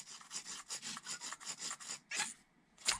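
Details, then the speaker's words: Arrma Vorteks RC truck with only 3–4 battery packs run, gears turned by hand: dry rhythmic rasp about once per turn plus louder scuffs. Gear scraping; gear floats and bearing slides; owner suspects a missing shim or spacer. "Because that's where the gear is supposed to be, but when I do that, it rubs. Am I missing a shim?"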